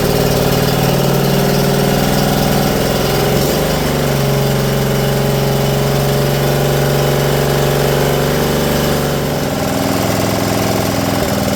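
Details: Briggs & Stratton PowerBuilt 10.5 HP single-cylinder rear-engine rider mower after carburetor replacement and clearing a flooded cylinder: runs steadily with a brief dip and recovery in speed, then an even hum; normal running.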